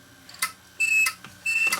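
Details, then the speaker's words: Failed 1TB Western Digital hard drive from a DVR that failed due to bad HDD; platter not seized but short high chirps and beeps repeat about every half second with no spin-up whir; drive is shot. "No, the platter's not seized. here, it's not happy. Definitely not happy."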